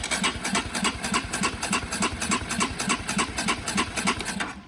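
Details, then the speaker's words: Honda CB125R with a 1000-mile replacement engine: starter cranks steadily at about three and a half compressions a second but never catches; the ignition coil was disconnected. "The coil was disconnected. Let's try again. Bike isn't starting, so I've got a spark plug and I'm just gonna see if it is sparking."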